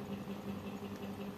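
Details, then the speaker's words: Printer head/cartridge service vacuum machine with upgraded box cleaner, switched to slower low-power setting while cleaning a head, other nozzles capped: quiet steady low hum with soft even pulsing about five times a second; normal running at low speed. "Nah ini kita diamkan atau bisa kita Nyalakan lebih pelan nah ini jalan ya nah ini pelan ya powernya kecil tapi tetap jalan ya"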